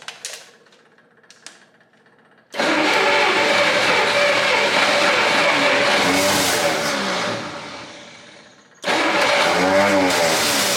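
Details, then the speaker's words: 1959 Studebaker Lark, 259 V8, first start after 36 years sitting, using choke. It catches and roars unevenly with a harsh rasping clatter, dies, then fires again. Heavy smoke comes off one side; owner wonders about a cracked block, unconfirmed. "yeah yes why is that awful noise oh yeah yes it's a runner I can't believe it"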